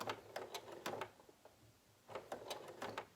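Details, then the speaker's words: Sewing machine stitching heavy bias tape ties onto a surgical mask: rapid bursts of heavy thumps, about three a second, stopping and restarting as the needle labours through the thick layers. Needle thumping through thick material. "can hear my needle thumping it really doesn't like this heavy bias tape"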